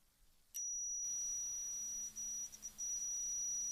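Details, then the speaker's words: PS3 controller motherboard being rebuilt, multimeter continuity test across analog stick points after reheating solder joints; probe touch gives a clean, steady high beep, confirming the circuit path is now connected. "I have no idea if you can hear it, but it's beeping. So I will try it once more just in case you didn't hear it. So that's now connected."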